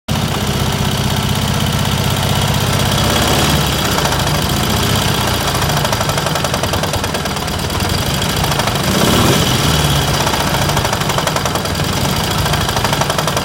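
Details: KMZ engine running with an uneven knock, about four per second, rising and falling with revs; engine knocking noise, cause unclear.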